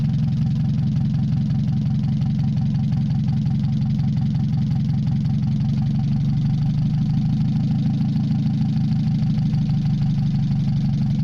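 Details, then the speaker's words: Mazda 626 first start after cylinder head reassembly, warming up, rest of exhaust not connected, oil overfilled: uneven wavering idle beat with much shake, hunting rather than settling. Owner suspects O2 sensor misreading open exhaust, possibly old gas. Rough idle. "the fluctuating idle has to do with my O2 sensor CU as you can see I don't have the rest of my exhaust system hooked up"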